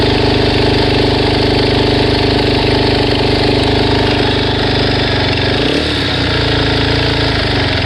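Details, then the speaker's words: Suzuki DRZ400S single-cylinder engine idling, warm after a 10-mile test ride: a fast, light ticking about three to four a second over the thump; remains after replacing cam chain and both guides and changing the oil, cause unknown. "okay so I just took it for a test drive probably 10 miles it runs fine but it's still making this sound"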